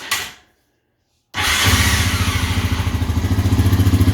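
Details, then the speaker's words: Used ATV with 10,000 miles, cold start in neutral: a short crank, then it fires and settles into a steady, even thumping idle; starts great, a normal cold start. "That thing started great. The cold start is what you want to look for."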